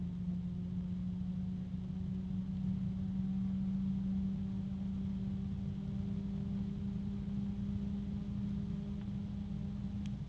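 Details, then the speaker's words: NZXT F140 RGB fan (JST four-pin, NZXT hub) at very low speed: something rubbing and a harmonic resonance, a loud steady hum near 200 Hz with a fainter higher tone and no pulsing; fan resonance. "something is rubbing I don't know if you can you hear that it's only at very low speed there's a harmonic resonance another"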